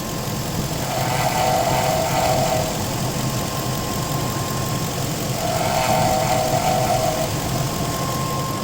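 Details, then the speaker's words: 2002 Infiniti Q45 at idle after overheating when the idler pulley broke; idler replaced and belt refitted: faint, recurring, slightly uneven chirp over the hum. The owner suspects the water pump, unconfirmed. "the car overheated because the idler arm pulley broke but now the water pump has been making this noise"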